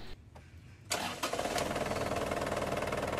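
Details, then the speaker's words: Isuzu Crosswind diesel after belt tension adjustment: quick crank, engine catches and settles into an even idle with no squeal or chirp; earlier belt noise gone, tension now correct. "Pa-start ko muna itong makina kung okay na. O di ba mga boss, wala na yung ingay niya. Kasi sa part 3, umingay yan."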